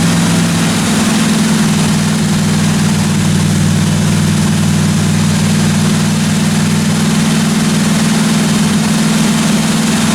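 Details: 1957 Chevy 210 project car, carbureted engine idling during roughly 20-minute cam break-in run: smooth, even idle, steady low rumble, no ticking or knocking from the top end or valve train; normal idle.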